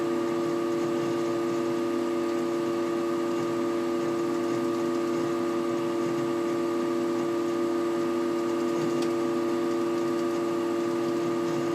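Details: Desktop PC that freezes for minutes when several browser tabs are opened or refreshed: steady multi-tone electrical hum with a faint crackle, microphone at the centre of the case, yellow light staying lit during the freeze; cause unknown.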